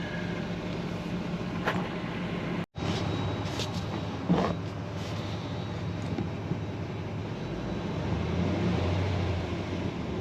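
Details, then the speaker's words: 2005 Dodge Ram 2500 Laramie 4x4, 5.7 Hemi on LPG, after clearing codes and reconnecting an unplugged sensor: low, steady idle hum with no stumble or miss; definitely a lot smoother. "Definitely a lot smoother."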